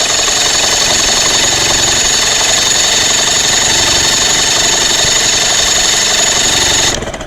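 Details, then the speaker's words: Johnson 25 hp two-stroke outboard after about 30 minutes submerged, spark plugs out, cylinders being cleared of water, starter loosened with WD-40: fast, even whirring crank about four turns a second, no compression lumps or binding; normal cranking, nothing fried. "right that worked so nothing is fried I'm very very happy about that"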